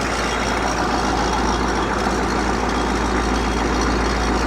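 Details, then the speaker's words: 6.2/6.5 diesel (CUCV) idling warm, around 94° coolant as fast idle switches off: steady clatter with a loose metallic rattle; owner suspects a loose right-angle bracket from power steering pump to block. "you hear that one rattle I almost guarantee you that rattle you hear that rattle it's a little bit mechanical noise can almost guarantee it's going to be the"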